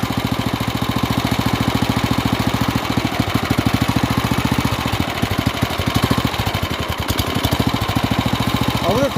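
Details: Off-road kart with a stock carburetor on the 301 engine, after throttle adjustments: small single-cylinder rough, lumpy idle, and it stalls and cuts out. The owner suspects a dirty carb, lean running or the oil sensor.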